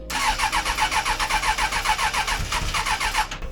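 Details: 1996 Suzuki Bandit GSF600S after carb rework (jets replaced and resized), battery at 14.2 V, on choke: even starter chugging about four beats a second for three seconds without catching; slow to start, later runs and idles at 1,000 rpm.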